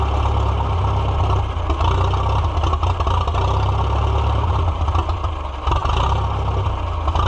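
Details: Farmall F-12 tractor on steel, auction find being revived, air tube off, rusty tank, possible rust in carburetor: deep low chug, steady with brief dips and wavers, then dies; owner suspects choke not working right, cause unconfirmed.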